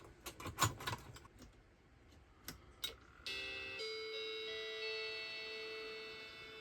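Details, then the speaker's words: Battery-damaged Macintosh II logic board after reseating socketed ICs: handling clicks, then a sustained rising chime instead of the startup tone. Chime of death, a failed startup hardware test; the ROM now executes, possibly bad RAM, cause unknown. "All right, well, that is an improvement. Now we're getting the chime of death, which means that the ROM is at least executing. Now that could be bad RAM, it could be something else."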